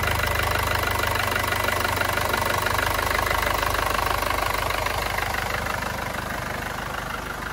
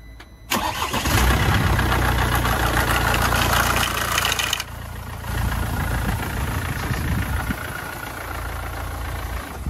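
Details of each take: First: Mercedes diesel on its first cold start after timing chain replacement: steady usual clatter and even firing rhythm at idle, no extra noise or rattle. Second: Mercedes diesel morning cold start: loud harsh metallic rattle for first few seconds, then quieter idle; stretched timing chain, engine going into workshop for chain replacement.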